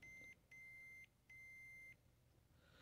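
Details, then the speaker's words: Continuity meter on the power tact switch of a 2002 Zenith TBBR1352Z TV/VCR combo with smashed-in buttons: three crisp half-second high beeps, one per press, quiet gaps; solid repeatable contact, power switch is good. "but I have a sinking suspicion that if I press the power button well we do get a good deflection there and that's"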